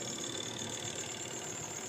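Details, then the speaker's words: Spin dryer after repair of the broken cover part that actuates the lid switch, plugged in and tested: even high-pitched whirr with a fine steady buzz, no knocking or scraping; runs normally again. "Paandarin natin. Ayan. Yan naman po ay gumagana kung maririnig ninyo."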